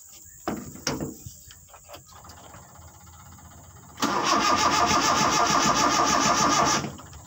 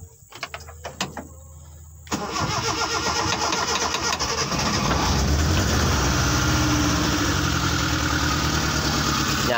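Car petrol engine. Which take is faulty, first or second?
first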